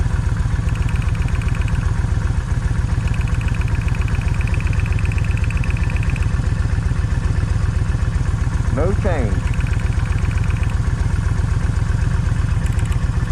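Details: Kawasaki Vulcan 1600 V-twin idling with a lumpy, loping beat as one cylinder keeps dropping out; wet plug found, misfire suspected from coil or coil wire, being checked by swapping wires between sides.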